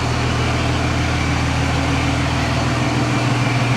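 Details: Freightliner ex-FedEx truck diesel just fired up after the exhaust rework, with the turbo now more audible. Deep, steady, even idle with a low rumble and no knocks or misses; it sounds healthy.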